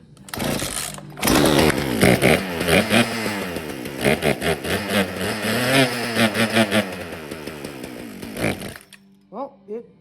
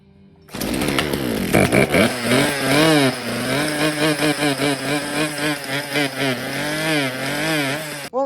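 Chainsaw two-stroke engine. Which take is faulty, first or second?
second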